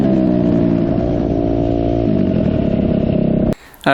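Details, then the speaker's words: 2004 Suzuki RM-Z250 dirt bike after rebuild, on a ride: strong, clean pull holding steady high revs with no popping, backfiring or bogging; runs healthy with good power. "right I got to say I am pleasantly surprised at how well this bike runs and how much power it has"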